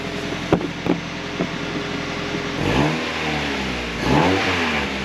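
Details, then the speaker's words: Mazda Miata just returned to the stock exhaust, warmed up a little; engine settles, then two clean rising revs falling back smoothly with a muted exhaust note, no popping or rasp: normal revving. "I mean it's not that's not it's not too bad it sounds pretty decent"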